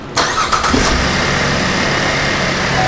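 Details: 2013 Chevy Impala LTZ with a no-start fault and ignition relay low-voltage codes P1682/P0689, cranked while tension is held on the relay in the power distribution box: short crank, then a steady, even idle. Normal start; the fault is inside the box.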